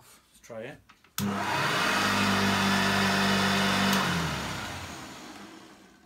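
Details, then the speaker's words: Refurbished Hoover 1334 vacuum cleaner, fitted with original parts from a donor machine, switched on for a head-to-head demo with a Dyson DC04: the motor spins up fast to a steady, even hum without rattles and winds down cleanly, so it is running normally. "that is really good really really good it sounds good the motor whines down fine"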